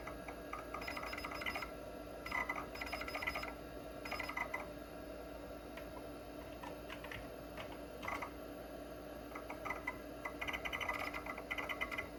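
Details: Old Kalok hard drive in a 286 PC running check disk, heard from a different angle: bursts of quick chattering ticks and buzzy seeks over a steady whine; healthy drive seeking normally.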